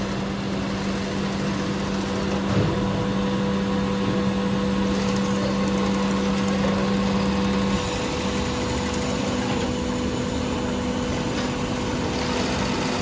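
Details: 8365 high postbed sewing machine, secondhand unit serviced (cleaned, repainted, repaired): steady, even hum at one pitch with no knocks or rattles; normal running.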